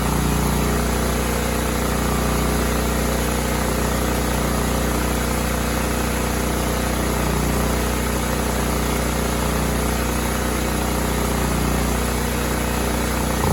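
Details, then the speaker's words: Cub Cadet 2166 mower with a 16 hp Kohler Command single-cylinder engine, after a new fuel pump and brake-switch activator, primed with gas, tank low: even, steady single-cylinder thump with no misses, knocks or surging. "So as you see, it was going. It's going. It sounds good."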